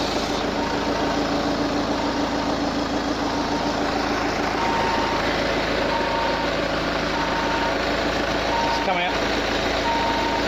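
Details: Peugeot 508 with engine running: a faint high-pitched beep repeats about once a second from the engine bay; source unclear.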